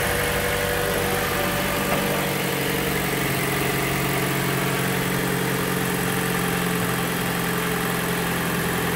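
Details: Toyota Corolla after engine replacement, following engine loss from a bad previous rebuild: steady even idle hum, no ticking, knocking or hunting; healthy idle.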